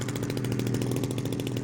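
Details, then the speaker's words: Petrol engine on a 79-inch Edge 540 model plane with 19x8 prop, garden ground test: steady even buzzing high idle about 2,500 rpm, regular firing, no misses or surging. "That's high idle, about 2,500. So that's 7,480 RPM."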